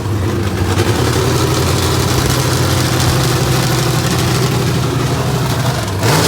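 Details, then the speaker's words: Small block Chevrolet in a 1988 NASCAR Winston Cup Buick, about 700 hp, first start in many years after four months' work, open headers, no exhaust; loud, deep, steady even idle with crisp firing: normal running. "trying to get to the point where we could hear this small block chevrolet makes a sweet music and it did i am so relieved of the motors not been run in many"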